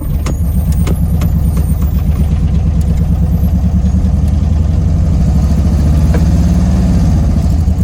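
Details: 1971 Karmann Ghia that sat 20+ years, on its first drive after fuel-line and oil-leak work, foot off the gas: a loud, deep, lumpy rumble with slow firing pulses. The idle is slow but holds.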